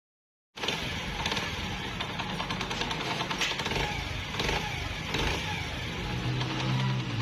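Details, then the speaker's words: Honda CD 70 single after timing chain and rollers were replaced and timing marks realigned: even idle with no chain rattle or tapping over the exhaust putter; normal idle. "यह इस engine का मौजूदा sound timing चैन और roller goats replace करने के बाद"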